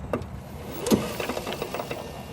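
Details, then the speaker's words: Yamaha G29 golf cart, seat removed: light solenoid click then a dull drivetrain clunk when backing off the throttle, caused by a worn input shaft bumper between motor and drivetrain; fix is replacing the bumper. "see if you can hear the clunking noise as I back off you'll hear a click that's only the solenoid cutting in see if you can hear it clunking when I back"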